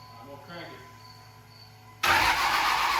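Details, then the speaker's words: 1999 Dodge Ram with a common-rail Cummins swap, questionable injectors and the wrong ECM (manual-flash type needed, auto fitted): a steady loud cranking roar that never catches. The injectors aren't firing, and the ECM is suspected. "it's just not firing the injector something that's not letting it start and we're thinking that is through the ECM"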